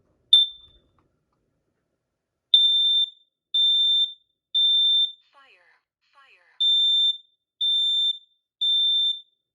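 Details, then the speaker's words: Kidde KN-COSM-IB hardwired combination smoke and carbon monoxide alarm on self-test: three loud shrill beeps, a short spoken carbon monoxide warning after a slight delay, then three more beeps. Working normally. "carbon monoxide there we go that's a little delay to the warning carbon monoxide which is pretty interesting I was expecting it to go um instant just like my xtrb"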